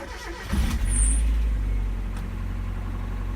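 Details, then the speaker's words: 1.8L NA Miata, which had a hydraulic lifter tick, after an oil change with an added treatment: it starts quickly and settles into a smooth, even idle with no ticking from the top end. "it did even hear the engine running like there's no noise so it's also nice guys"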